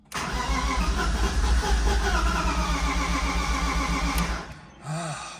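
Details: Flood-submerged 2006 BMW E46 M3 after oil pan and frozen starter replacement, first start attempts: steady starter churn about four pulses a second, cylinders almost firing, then cranking stops; long crank, no start.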